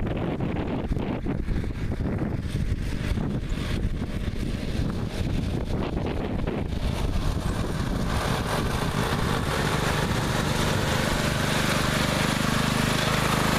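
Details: Neglected riding mower after repair, fresh gas, fuel shutoff, filter and hose clamps redone, started on jumper pack due to weak battery: steady, even single-cylinder drone holding speed without stumbles, with wind gusts; now runs perfectly.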